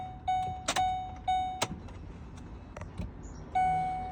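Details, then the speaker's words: At key-on with a weak, failing battery, warning chimes cut in and out among sharp relay clicks. Odd lift gate, tire pressure and oil change messages appear, and a faint thumping comes from the lift gate, which isn't getting correct electricity. "this is a sign of a battery going bad the car will start acting completely weird I'm going to put the key in and you will see and hear different weird things"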